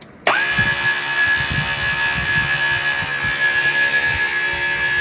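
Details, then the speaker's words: Brand-new brushless motor on a 70mm EDF quadcopter: steady high fan whine with a rough, uneven low rumble beneath, the worst of the set; this motor runs rough; owner wonders if braking is on. "That's the one that sounds the worst. These sound okay, except for that one."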